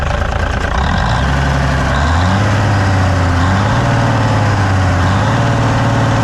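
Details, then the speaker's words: 1957 Hayes HD diesel truck revived after sitting, started with ether after its coolant was topped up: deep, steady clatter settling smoothly after startup with no misses; it idles healthy. "all righty well the [ __ ] minty old [ __ ] runs mint fired right up"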